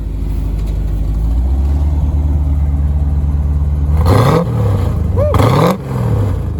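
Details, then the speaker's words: 1987 Corvette C4 automatic, pre-LT1 engine, unknown aftermarket exhaust (guessed Flowmaster or Magnaflow): deep steady rumbling idle, then two quick throttle blips climbing cleanly and dropping back; sounds pretty good; normal revving. "sounds pretty good um we're not sure what the aftermark exhaust but it does have I'm guessing some flow Masters or some magnet flows or whatever"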